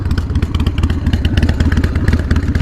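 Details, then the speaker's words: Harley-Davidson Sportster 48 at idle: loose metallic clatter over the lumpy V-twin idle beat; owner suspects a loose exhaust, source unconfirmed; idle rattle. "you guys hear that sounds like flanking i mean it's a really cool look let me make sure that's not just like a loose exhaust"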